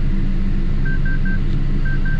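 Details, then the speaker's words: Tow truck with an idling diesel, just after refueling, as happened before. Repeating pairs of short high beeps: a stored fault code warning that a parked exhaust filter regeneration is needed; the truck must return to the shop. "you guys hear that beeping so yeah I'm gonna have to turn this truck around again and go back to the shop"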